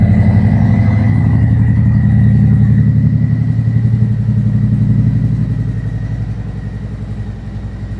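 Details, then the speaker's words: 2025 Harley-Davidson Road Glide 117 Gen 2, 802 miles, stock engine before the Stage 2 cam and tune, with Khrome Werks slip-on mufflers: deep, even V-twin lope at roughly four beats per second with no knocks or misses; smooth, healthy exhaust tone. "nice smooth tone. These ProWorks mufflers are growing on me."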